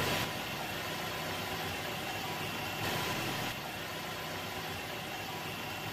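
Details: Carbureted Toyota Corolla (small body) with hard starting in the morning or after long parking, after checking the carburetor pump jet: it is now restarted and holds a steady, even idle with no misses, knocks or hunting; normal idle.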